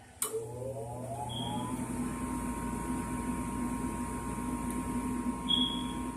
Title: Furnace is making this noise instead of turning on